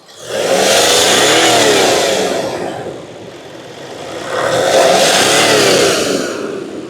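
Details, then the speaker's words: Range Rover that failed on the road, revved with helper feeling air blowing on hand: two revs swell and fall while a loud airy hiss rides over the engine; boost leaking from intake manifold, smoke test suggested. "Tā, iedot čībā. Man pilnīgi pūš uz rokas. Man pilnīgi tā, pūš tur."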